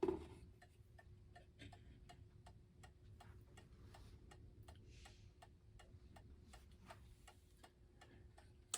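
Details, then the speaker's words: 1960s gothic mantel clock with German Urgos pendulum movement, after repair and running overnight: crisp, evenly spaced ticks with no limp between tick and tock; movement in beat. "And I think if I open the door, you can hear that it is in beat."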